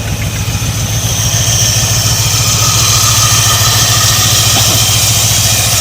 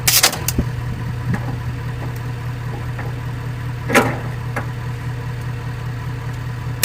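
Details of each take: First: 1985/1986 Ford Bronco, pasture find, first start in 8 months with plugs reinstalled, smoking heavily: steady, even engine beat at a fast idle about three and a half pulses a second, no knocks or misses; running smoothly. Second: 1985 Ford Bronco V8 left in a pasture, puking coolant from one exhaust; cranked with four spark plugs out, the starter strains slowly and the crank barely moves, hydrolocked with coolant in cylinders.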